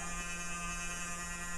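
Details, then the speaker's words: Dell Dimension E521 desktop PC (mid-2000s, Nvidia chipset), at BIOS setup after a no-video power-on. Steady low electrical buzz with a thin row of overtones that does not change. Cause unknown; owner hopes it is not 60 Hz hum. "wow that sounds really bad I hope that's not a 60 hertz bud so I'm pretty sure that's not about to blow up my face but even still probably an updated by us available"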